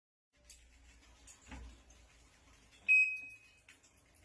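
A quiet room, some faint clatter, then one sharp high-pitched beep about half a second long; the washer is sounding an alarm tone, cause unknown.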